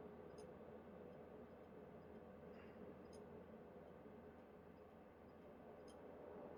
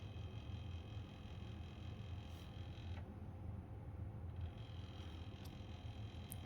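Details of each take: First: PlayStation 2 SCPH-30001: soft steady disc spin hiss with occasional sharp clicks every few seconds as the laser seeks; normal reading, not the click of death. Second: PlayStation 2 SCPH-30001 after a laser swap, reading a DVD with the drive mechanism not screwed down: a low, steady buzzing rumble while the disc spins; vibration from the loose mechanism.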